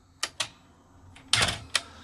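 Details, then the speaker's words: Thorn 8940 VHS recorder (JVC HR7350-based) showing a mech syscom error: sharp clicks, then a short motor whirr and clunk at power-on as the mechanism cycles. The right loading post is not fully retracted. "so if i eject the cassette and put this down if i take it out of put it back into standby turn it on again that immediately starts to rotate"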